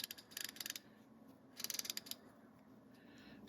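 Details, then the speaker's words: Antique Plomb ratchet, about 1945–1948, after kerosene soak, cleaning and refurbishment: two quick bursts of crisp, evenly spaced clicks on the back swing; pawl engages cleanly and consistently, healthy ratchet needing only a little more grease. "the back drag on it is awesome it's nice and crisp it's nice"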